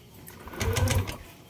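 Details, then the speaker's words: Yamaha Aerox 155 v1 Keyless scooter showing error 12, CKP sensor problem: brief starter cranking, the engine spinning over without catching; rat-chewed wiring found but not the cause. "So redondo lang siya."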